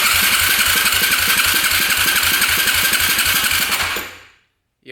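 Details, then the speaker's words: 2008 Yamaha YFZ450 single-cylinder quad that has sat a while, cranking on a compression tester after oil was put down the cylinder. The starter chugs evenly at about four soft beats a second. Compression read 80 psi, and the owner leans toward worn or stuck rings. "compression shut up so it looks like we're at 50 60 70 80 lbs of compression now so it's leaning towards Rings right now"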